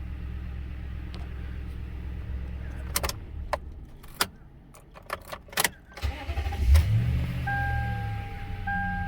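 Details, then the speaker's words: Toyota with a P1604 startability code, just restarted after the intake was cleaned with cleaner; check engine light stops flashing and goes solid. Steady, even idle with no stumble or miss; motor smooth and idle higher than before. "Motor's smooth. And also the idle is definitely up compared to what it was."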